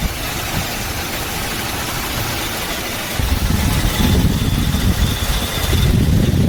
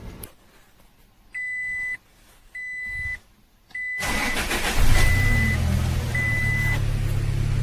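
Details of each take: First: Toyota Hilux 4x4 idling after start: rough rumble with a thin, high squealing chirp on top, from a bad belt tensioner pulley bearing; belt, compressor and steering pump checked fine. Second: Toyota Hilux 4x4 after refitting the drive belt to an idler/tensioner pulley whose bearing had made a kir-kir noise: key-on chimes, then an even idle with no belt squeal or chirp; fixed.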